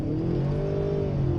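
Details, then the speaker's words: Ford Bronco Sport Badlands on icy, snowy roads in normal mode, floored: engine note climbs and holds a high, steady drone as the wheels slip, traction control still allowing throttle; running normally. "it's like obviously slipping you can hear the how the engine revs and everything but i mean what the hell this thing's awesome"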